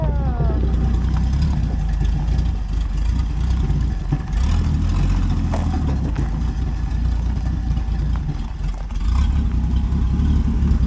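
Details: 1967 Plymouth Valiant two-door sedan, six-cylinder, non-running parts car running with a new battery: loud blatty open-pipe idle lumping and sagging unevenly, nearly dying; owner says it barely idles and runs horribly, rough idle near stall.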